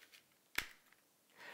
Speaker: you can then slide the battery into the Drone and lightly push until you hear a click